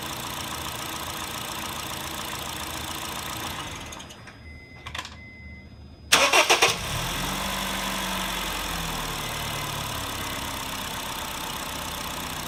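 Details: 2008 Honda Fit (Jazz) 1.5L, 120k miles, automatic non-CVT, valves adjusted, no oil use or check engine light: engine cuts out, restarts and idles with a steady quick light tapping rattle; absent when cold at higher RPM; owner suspects piston slap, unconfirmed.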